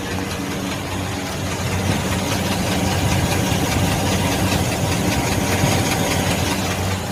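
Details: 2015 Mercedes-Benz GLC300 steady idle with light quick tick about two or three per second; suspected valve (top-end) ticking, not confirmed.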